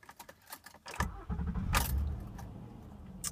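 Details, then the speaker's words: 2009 Honda Accord EX-L V6 coupe at about 60,000 miles: keys jingle, then a short crank catches cleanly and settles into a smooth, even idle; it starts like new. "and the thing still starts up as if it's brand new which is great I mean it is a Honda"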